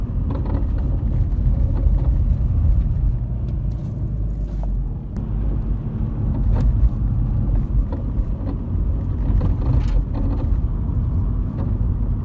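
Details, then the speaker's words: VW Golf Mk5 TDI driving on the road: irregular dull clunks from the front end over road rumble; suspected front suspension. "where we're getting a load of clunking noises under the front end somewhere my guess is something to do with a suspension"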